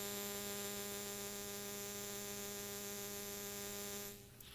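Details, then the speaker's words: 1993 Sony WM-FX39 Walkman during repair, playing through small speakers. A steady buzzing hum in the audio changes when drag is put on the motor and stops when the motor stops; motor interference is getting into the output. "so you can hear their sound and it's definitely affected by the motor because if you put drag on the motor it changes"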